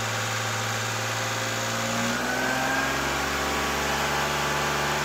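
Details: 2001 BMW E46 330i automatic idling after a cold start following oil filter housing gasket, VANOS oil line and oil filter work; smooth, steady even low hum with no ticks or misses; normal idle.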